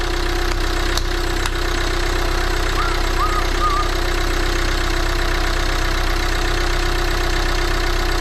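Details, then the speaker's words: Volvo V40 D2 D4162T diesel idling just after repair of a broken cambelt (new cambelt, camshaft, rockers, cam sensor, diesel filter): steady diesel clatter, even firing beat, no misses or knocks; normal idle. "So guys, that was the cambelt, new cam sensor, new diesel filter, new rockers. Sounds like a diesel."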